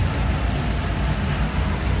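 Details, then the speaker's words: Honda Click 125 V3, about 3,000 km, cold engine: loose uneven rattle over the low engine hum from the CVT; worn, loose slider pieces and thin, worn parts need replacing. CVT rattle from worn slider pieces. "Tapos ito Ayan ang naririnig mo ayan oh malalim na Tingnan mo makalampag yan Ito maluwag"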